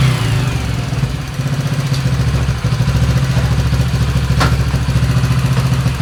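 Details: Italjet Griffon GF125 carbureted motorcycle that sat unused 10 months and wouldn't start; after cleaning the clogged carburetor the small single holds a steady, even low beat with no misses or knocks. Normal running after repair.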